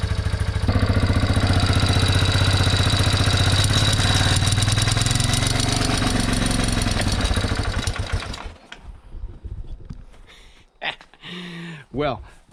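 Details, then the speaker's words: 1987 Yamaha Big Bear 350 4x4 ATV after a new coil ground wire and a replacement knockoff CDI, started on a portable jump pack because the battery is too small: catches and settles into a steady, quick single-cylinder idle thump. Ignition fault cleared. "start it up just fine there uh to know this little Mighty Max battery is way too small not enough cranking amps on there to turn this motor over"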